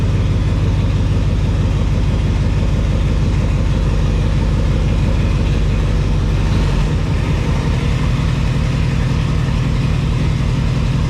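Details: GMC Yukon after fan clutch, tensioner and belt replacement: even, deep engine rumble with no chirp, squeal or rattle from belt or pulleys; normal running.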